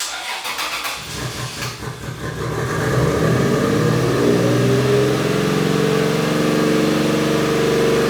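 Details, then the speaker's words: 2JZ-swapped Toyota van: the engine cranks, catches, then holds a fast, steady idle that never drops. The corroded throttle body and cable were freed and the pedal now responds, but idle stays high; the cause is unconfirmed. "So it is still revving high. Doug thought that the throttle cable was stuck, the throttle body was stuck, and he got the pedal to actually respond."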